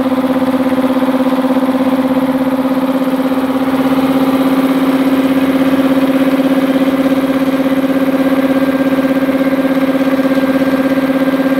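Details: Multipro 2 HP electric air compressor with tank, 2.2 kW single-phase motor, after cleaning dirt from the blocked check valve that leaked air at the pressure switch: steady even mid-pitched hum, no knocks, hiss or stumbles while filling; healthy.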